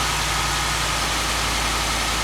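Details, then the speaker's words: 2015 Ford F-150 4WD, 60,000 miles, rear-damaged Copart truck, at startup idle: smooth steady low hum, no rattle or knock. "good no rattle 60,000 mile truck"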